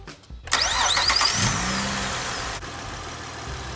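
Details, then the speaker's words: Engine start during KingBolen battery tester startup test: brief crank, engine catches at once and settles into steady idle; start took 463 milliseconds at 11.8 volts, starting ability normal. "it took 463 milliseconds. Starting ability is normal. We got 11.8 volts."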